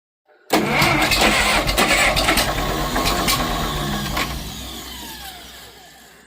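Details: 1951 International Harvester TD9 dozer gas/diesel engine, not run in about 20 years, first start attempt with fuel, spark and air sorted: starter churns about six seconds, slowly fading, never fires; cranks but no start.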